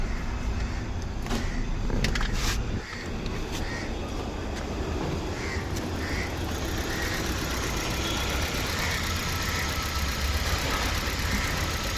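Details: Hyundai Verna with check engine light staying on: low, uneven idle rumble that stumbles and lacks a steady beat, consistent with a misfiring cylinder at idle.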